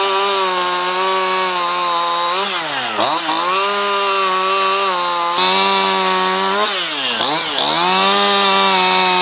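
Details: Stihl MS211 chainsaw after carburetor replacement (#1139-120-0612) cured bogging: crisp high revs dip as it bites into wood and recover cleanly each cut, no bogging or hesitation; normal running under load.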